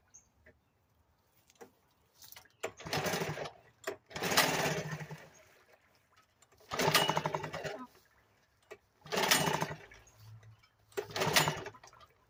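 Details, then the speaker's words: 1975 Sears Gamefisher outboard, first start after carburetor rebuild, in a water barrel with choke out and only a couple cups of gas: catches in short bursts then sags and dies back; still needs carb adjusting. "I can see that if that runs runs but it's gonna need some adjusting and such on it"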